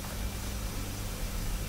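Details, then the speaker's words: Hammond L 222 organ after ten days of sewing machine oil drops on the squealing tonewheel generator: steady low hum, quiet even whir, no squeal; normal tonewheel generator running. "I'm going to start it up and see if the squealing is gone as you can hear she spins like a kitten so I think dropping some oil in the generator did the thing"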